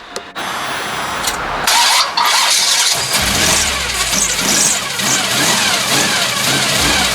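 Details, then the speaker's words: Chevy Nova 355 V8 the next morning after regasketing a leaking Holley 650 double pumper carburetor: a short crank, it catches right away and settles into a steady, even idle with no misses or stumbles; sounds healthy. "yeah she's sounding sweet that 355 is pretty nasty"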